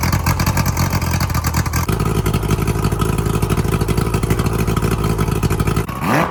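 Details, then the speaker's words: Boat outboard motor started after sitting about a couple of months: steady even low drone with a brief throttle blip near the end, no knocks or misses; motor ran good. "All right, so the motor ran good."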